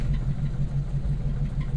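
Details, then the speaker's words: 1947 Cadillac Series 62 with 350 CI flathead V8 cold start, throttle pressed once to set choke, in neutral: fires right up into a deep, even, smooth idle; throttle pedal then stuck. "holy smokes that was insane that was way better than anticipated"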